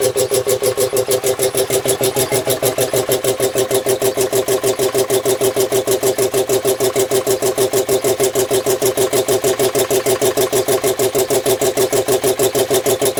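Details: Home-built air compressor, tank max thought to be about 125 psi, used for a year; fast, even, steady pumping with no knocks or misses while filling tank; running healthy.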